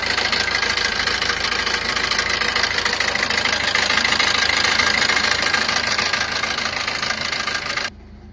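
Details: Maruti Ertiga engine at steady idle: quick, fairly even metallic chatter, roughly three ticks a second. Abnormal engine noise attributed to a timing chain issue.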